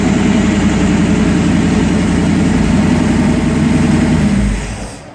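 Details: 1951 Willys Wagon with a used AMC 401 V8, Flowmaster exhaust and a temporary ignition setup: deep, throaty burble holding steady a few seconds, then dying away at shutoff; runs clean with no knocks.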